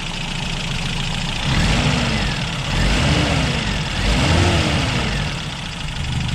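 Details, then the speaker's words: Warm 1988 Toyota 22RE four-cylinder after a head replacement, with timing reset to 5° BTDC and the distributor re-seated. It had been running rough and now settles into a smooth, even idle with no miss. "he's Crossing his fingers that's much better that's much smoother"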